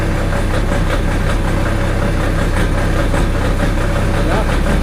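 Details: Diesel genset that had been hard starting, after the battery was found low (about 11–11.8 V) and an adjustment was made: it catches and settles into a loud, steady run with an even low rumble, starting and running properly now.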